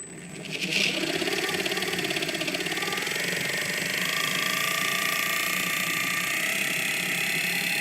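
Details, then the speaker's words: 3D-printed electric motor driven by an electronic speed control: high electric whine with a light, fast scraping rub throughout as the rotor rubs against its wooden mount. "Okay. I see what's going on. It is rubbing up against the wood."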